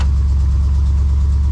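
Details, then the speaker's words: 454 big-block Chevy V8 swapped into a Honda Civic, started with factory tach newly wired: deep, steady, even burble at about 1,000 rpm with no misses or knocks; healthy idle. "That sounds about 1,000 RPM even. Oh, baby! Oh, that is so silly, but so cool."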